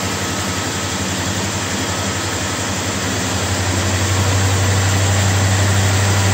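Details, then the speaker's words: 1955 Studebaker Speedster under restoration, rebuilt power steering, idling after sitting in the garage; steady thin constant-pitch whine over a low even idle, power steering pump whining from trapped air, needs bleeding. "You can hear the power steering is whining like crazy. I've got to get that bled out, get the air out of that."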